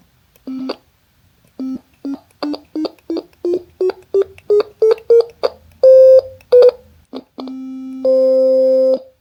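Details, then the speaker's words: DIY ESP32 Stylophone-style synth with an I2S audio chip and speaker, on its first hardware test. Short sine notes step up in pitch, each ending in a sharp click because the code stops the tone immediately on key release, with no fade-out. "Okay, as we can see, the hardware works fine, but there is one improvement that I was going to make. I need to remove these annoying clicks that we can hear."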